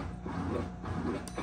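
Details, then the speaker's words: Electrolux LTD11 washing machine in test mode, drain pump function: a low, even motor hum with a faint watery churn and no rattle or grinding; the drain pump is working normally. "quer dizer que a nossa bomba de drenagem está boa também certo"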